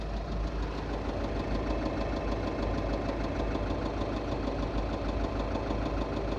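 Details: 2.0 TDI common-rail diesel at idle: a deep knock repeats at roughly seventy-some beats a minute, identified as worn connecting rod bearing knock.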